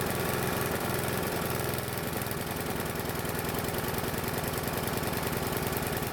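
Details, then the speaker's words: Free Bolens mower with a Briggs engine that previously wouldn't start: the oil-fouled plug was swapped for a used one, and it now holds a slow, lumpy, uneven idle. Stale old fuel or the carb is suspected; the primer may not work. "The other problem is that the engine is running really slow and a bit off."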